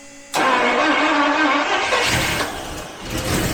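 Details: 1977 Daimler Double Six V12 coupe, sitting since 1982, in park on its first crank with fuel: after a pause it cranks and catches briefly with a rough burst, then fades. Brief firing; intermittent, clogged injectors suspected.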